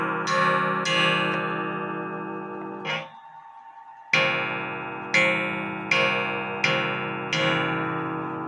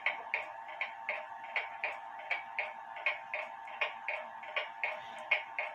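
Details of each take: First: Antique Japy Freres French bakers clock (c.1880–1900) after gong adjustment with the case upright: clean ringing strikes about a second apart, no buzz or rattle. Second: Antique Japy Freres French bakers clock (c.1880–1900) on a desk after cleaning and pivot oiling: crisp ticks with alternating short and long gaps; somewhat out of beat.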